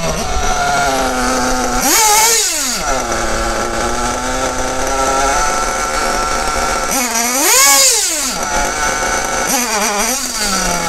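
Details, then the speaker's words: Kyosho Bug TT8 RB One nitro RC buggy, RB engine, after closing the mixture a bit too far: idles, then shrieks up in short blips that fall away unevenly and cuts out at full throttle. Too lean, not enough fuel. "Alors là, j'ai un peu trop fermé quand j'accélère à pond. Là par contre, le moteur coupe. Voilà, donc il y a pas assez d'essence à ce momentl."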